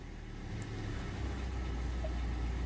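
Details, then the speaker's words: Hyundai i10 just after push-button start: low, even engine rumble with no misses, knocks or ticks, no warning lights; smooth, healthy normal idle. "fine, no warning lights at all."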